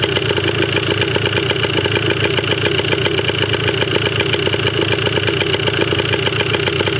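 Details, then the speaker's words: 1980 Yamaha DT/GT 125 Enduro two-stroke on its first start, running on old fuel with no battery charge and seemingly low compression. A quick, crackly popping idle holds steady with no knock or stalling. It runs okay, though the carb probably still needs cleaning. "She's the runner. That's awesome. Probably still gonna have to take the carb off, clean it. But wow. She runs. Didn't sound too bad either."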